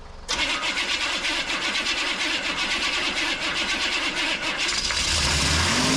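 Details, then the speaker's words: 1988 Chevy C2500 with a 6.2 diesel and Banks turbo, over 400,000 miles, long sitting; it cranks with a gas-soaked rag in the air filter, catches with uneven clatter, then steadies and keeps running. Owner had feared needing a starter. "running heck yeah look at that oh man I really thought I was going to have to buy a starter"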